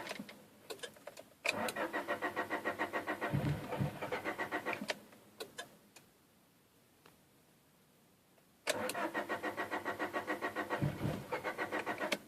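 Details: 1997 Honda Prelude cranks but won't start: two bursts of steady starter cranking at about three and a half turns a second with no firing between attempts.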